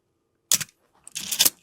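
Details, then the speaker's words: Canon A-1 at 1/1000 s shutter speed, before re-lubrication: a sharp snap, then a drawn-out rasping whir with a faint squeak. It is the 'Canon cough' shutter squeal from dry mirror box gears. "Oh, the highest shutter speed is the best to test it. So it's 1,000th of a second in this case, because the faster those gears work, the more you're gonna hear the squeal."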